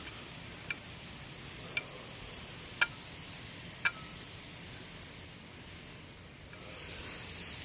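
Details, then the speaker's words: Mitsubishi 3000GT water pump, replaced the day before, turned by hand: faint sharp ticks about once a second as something inside catches on rotation; owner suspects RTV sealant got inside, before removal and inspection. "there's a little catch but generally once the moves been freely every now and then I can get it to make that noise but"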